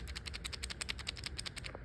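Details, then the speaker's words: 1992 Ferrari Mondial t (348 engine), dual-mass flywheel regrease: bearing turning gives fast even clicking about eleven per second; judged rough, worn and toast. "it doesn't sound good. It's toast, in my opinion."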